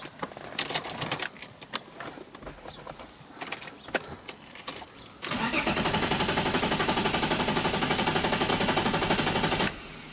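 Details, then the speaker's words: Car being oil-primed after a new Mishimoto oil cooler install, ignition coils unplugged: starter spins evenly for about four seconds with fast, steady whirring pulses and never catches; normal cranking without firing. "basically just gonna crank it for a minute or so until I have good oil pressure and then I know oil is fully throughout the system"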